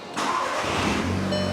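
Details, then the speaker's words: Wrecked MK6 VW Golf R from Copart, blown dashboard removed and many sensors unplugged, dash lit up with warnings; starter catches quickly into a smooth even idle: healthy engine start. "and it sounds good and it looks good but it's lit up like a christmas tree"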